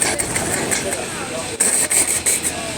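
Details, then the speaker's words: Inside a GAL WS113 bus on route 286: sharp, fast ticking rides high over a quiet diesel hum. The loud clatter is attributed to noisy fuel injectors, which is suspected, not confirmed. "bro the engines fuel injectors are so noisy on this one [ __ ] hell you can hear that clattering"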